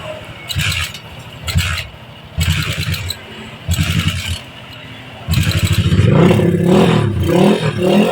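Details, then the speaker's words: GL Pro Neotech with weak compression, hard to start both cold and hot: several short kick-starts fail before the single fires and revs; burnt exhaust valve leaking compression. "Ini kalau kita engkol dia memang benar-benar susah hidup ya. Ini kita coba lagi. Benar-benar susah hidup."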